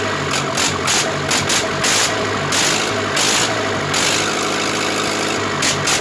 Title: Zetor crystal 8011 part 2 first start after engine rebuild